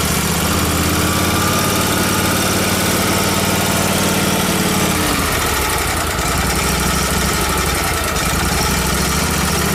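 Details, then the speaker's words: Miller Trailblazer welder's small gas engine with a crankcase-vacuum fuel pump, after a leaking suction-side clamp was found; runs lean with an unsteady, shifting note, fine when choked, suspected vacuum leak between carburetor and engine or a fuel delivery issue. "I think it has a vacuum leak between the carburetor and the and the engine because it's just getting too much air"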